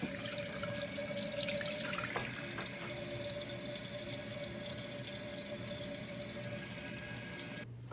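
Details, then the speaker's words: Toilet tank refilling after replacing the leaking rubber flapper: a steady rushing hiss with a faint even whistle; no leak and no running-water sound. "pueden ver, ya está instalado, no hay fuga de agua, ni tampoco tiene el sonido como si estuviera tirando el agua."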